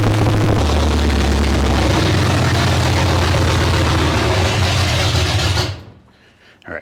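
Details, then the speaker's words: 1972 Ford Maverick, new 317 V8 on its first start without coolant: loud, lumpy idle surges and sags unevenly before shutdown, won't settle. Owner says the carb floats are too low and suspects a possible air leak; tuning still needed. "All right, well, it runs. Yeah, it just seems like it's bouncing around a little bit. It's not real consistent, so float's got to come up too."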